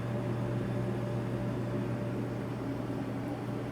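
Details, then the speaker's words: Samsung DV50K8600EV dryer runs with a steady low hum and an even, quiet tumble, with no squeal or scraping. This is after replacing the melted bushing-type idler arm pulley with a new roller-bearing DC93-00634A and fitting a new belt. The drum is running normally. "And I don't know how much you can see in there, but it's running, and it's running quiet."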